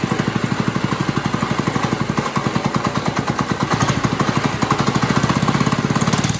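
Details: New 212cc Lifan Chinese engine swapped into a Monster Moto go-kart, first start: quick, even single-cylinder firing pulses hold steady with a slight rise at the end; it runs cleanly.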